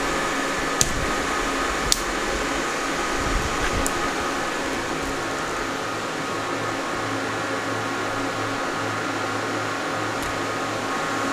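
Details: New Antminer E9 Ethereum ASIC miner (rated 2400 MH/s) at first power-on via two C13/C14 cables: steady rushing fan roar with faint constant hum and a few clicks, no rattle or scraping, no burning smell; fans normal.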